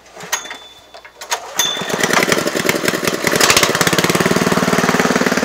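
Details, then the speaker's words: Honda GX160 petrol engine driving a homemade 12V DC generator, governor set to about 1,000 rpm: catches after a few pulls, then even, leisurely exhaust beat about three pulses a second; healthy slow running. "this engine is set to about 1,000 rpm so it's running much slower that means it's using a lot less gasoline or petrol and it's also making a lot less noise"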